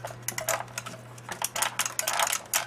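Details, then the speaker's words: Old, worn joystick with many fire buttons and a built-in clock, battery powered; fire buttons sticky, unresponsive, need quite a bit of force; rapid, uneven, thin light plastic clicks that sound flimsy, not rugged, likely to break easily. "it doesn't sound that good. It doesn't sound very rugged. I could think if you actually use this joystick it would break easily."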